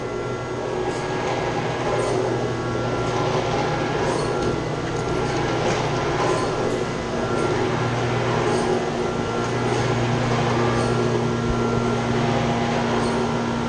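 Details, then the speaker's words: Chiller chilled-water pump making a loud steady rumbling roar with low hum and rattling vibration, copper lines shaking; clogged strainer needs cleaning, pump and chiller to be shut down. "You see it's shaking. What's happened though, they got a strainer right here. This needs to be cleaned out."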